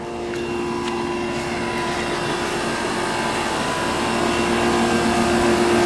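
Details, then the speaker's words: Two identical 2002 2-ton Comfortmaker 10 dual-zone AC condensers with reciprocating compressors, 88°F and humid, raining, line sets cold and sweaty, heard from about 20 feet: steady fan rush and smooth, even compressor hum, quiet and healthy. "Yeah, they're pretty quiet. I'm about 20 feet from them now, and they're very quiet."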